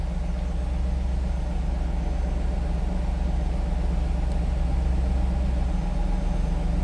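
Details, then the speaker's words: 1997 Pontiac Firebird Formula, stock LT1 V8, idling and heard from the rear. Deep, steady burble from the tailpipes with even pulses and no misses or ticks; a healthy stock-sounding idle. "Sounds like stock LT1, no doubt about that."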